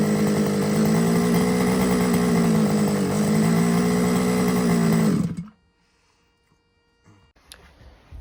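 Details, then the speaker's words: Losi 5ive-T RC car, gas engine: high buzzing tick-over drifts up and down, never settling, before cutting out; idle set too high and hunting, carburettor suspected to need removal and cleaning. "but if you if you listen to it when it was on tick over the tick over was a little bit too hard so turn that down but you could hear it hunting at the was climbing then dropping so I think the carbs going to have to come off"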